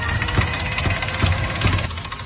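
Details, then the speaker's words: Electric tricycle rear drive: loose clattering rattle over motor whine with dull knocks about twice a second, at high and low speed; motor and half-shafts fine, differential suspected. "就是这个声音，高速和低速都有这个声音。我们现在把轮子给它顶起来看一下，空载运转也是一样有这个声音。"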